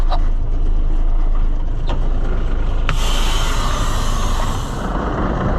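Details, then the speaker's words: Ford L9000 semi with Cummins diesel, running after its stuck brake was freed: a deep, steady diesel rumble with an even beat and a brief air hiss. The engine runs smooth and healthy. "We got it. Boy, it's a sweet running rig though, I gotta say."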